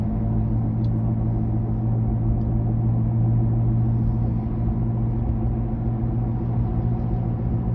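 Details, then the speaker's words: 2007 Toyota Camry, bad left front wheel bearing confirmed by mechanic, recorded from inside the car driving very slowly behind a truck before repair: steady low growl and drone whose pitch rises with speed; very loud with windows open. "I'm driving very slow now behind the truck to show you how the wheel bearing make the noise"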